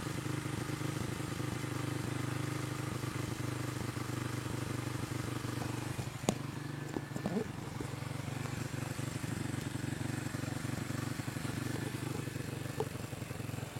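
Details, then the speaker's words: Motorcycle with new carburetor still dripping fuel, idling with a wandering, lurching chuff about four times a second; rough running because the air screw is closed fully and carburetor was never adjusted. "setelannya nggak enak ya, suaranya grebet grebet grebet gitu ya. Astagfirullah, ini setelan angin paling nutup pol."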